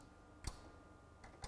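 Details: Sony MDP-600 LaserDisc player: two sharp relay clicks about a second apart with quiet hum between; it switches on, then immediately shuts off, and still does so after replacing the power supply caps.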